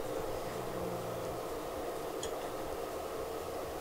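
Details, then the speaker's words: Noctua NF-A4x10 FLX 40x10mm fan newly installed on Tevo Tornado 3D printer hot end, wiring zip-tied; smooth steady quiet whir with even airflow hiss, no ticking or rattle; normal fan running. "figure out later how to hide all these wiring but just holding it with a zip tie awesome looking good sounds good"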